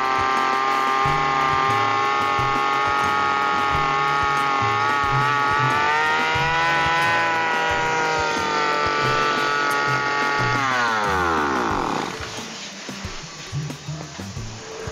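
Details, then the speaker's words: Lawn mower (brush cutter) engine racing by itself right at start: high steady scream that never drops to idle, persisting after freeing the tangled throttle cable and lowering the carburetor air screw; next fix is adjusting the throttle cable setting. "saya sudah mencoba untuk menurunkan setelan angin angin karburatornya tetapi tetap saja gasnya belum bisa turun masih tinggi"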